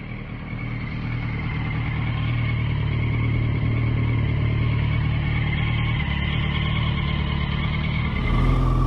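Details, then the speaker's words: Yamaha FZ1, believed to be a 2014 with under 10,000 miles, idling, phone recording: steady idle with a faint constant high tone above the engine hum; possible engine whine, possibly normal. "he posted a video of it idling, and granted, it's a phone recording, so the audio's not great, the video's not great, but I do feel like I hear the whine noise."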